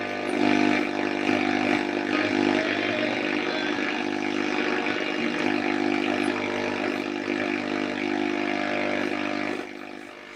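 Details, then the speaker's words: Old valve radiogram on test. A rough, steady buzzing drone of stacked tones sits over the radio hiss, then drops away when a noisy switch-mode power supply for an external hard drive in the next room is switched off. Interference from that supply. "I have got a very noisy power supply connected to an external hard drive there we go let's go as quiet as a mouse now"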